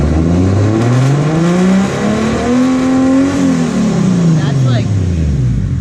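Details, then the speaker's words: Street-driven track car that runs badly when its MAF sensor gets wet, sensor just replaced: revs rise and fall unevenly and stutter under throttle. Only reached 6,000 of its 7,000 rpm redline; blown head gasket suspected. "well it's still stuttering when I give it thought when I give it gas but it's"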